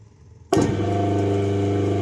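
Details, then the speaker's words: Single-phase induction motor after running/starting capacitor and centrifugal switch wiring, turning the intended direction: switches on cleanly and settles into smooth even low hum with the centrifugal switch (clutch) heard working; no growl or rattle, running normally. "बिल्कुल आसानी से हमारी motor चल रही है। देखिए friend, clutch हमारी proper काम रही है, आपको आवाज़ आ रही होगी दोस्तों क्लच की एकदम, देखिए।"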